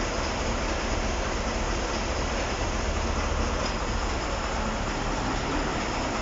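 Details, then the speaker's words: KAMAZ 6520 chassis diesel, first start after full engine overhaul: loud, steady diesel rumble and clatter at an even level with no misses or knocks; freshly rebuilt engine runs smoothly. "Запустили мы двигатель."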